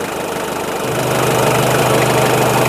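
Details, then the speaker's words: 1996 Taft GT F73 Independent 4x4, warmed up after driving with the temperature gauge past 1/4: steady rhythmic diesel clatter at warm idle, even, with no odd knocks. Normal, healthy idle. "Mohon maaf kalau suaranya berisik karena ini memang tough ya. Ini sudah panas, sudah tak pakai muter-muter, tadi temperaturnya sudah 1/4 lebih."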